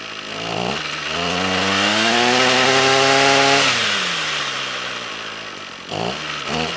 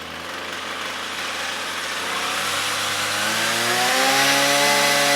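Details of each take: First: Trash-picked Ryobi string trimmer, air box broken, no choke: small engine screams up smoothly, then sags and dies once throttle is released; no idle because the carburetor idle set screw is broken off. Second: Trash-picked Ryobi two-stroke string trimmer, about four years old, after repairing broken air box: buzzy note climbs smoothly as throttle opens, even with no stumbling; engine running properly.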